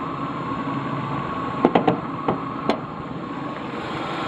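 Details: Ford EL Fairmont Ghia, engine bay, on both LPG and petrol: idle hum broken by irregular sharp taps and stumbles over two seconds, then settles; rough idle and frequent stalling, owner suspects a faulty computer or distributor.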